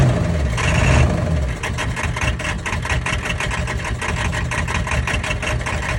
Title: 10-1-22 1999 7.3 power stroke running rough. Possible bad injector o rings?